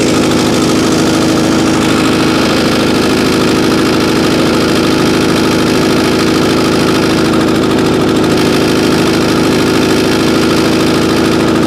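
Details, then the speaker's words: 2021 single-cylinder lawn care engine, stored 5 months on ethanol-free fuel without stabilizer, cold start at about 30°F after hard recoil pulls: runs fast, steady and even on choke with no misses, smoking slightly; normal cold running. "nope choke again oh all right let's let it run on sharp for a little bit"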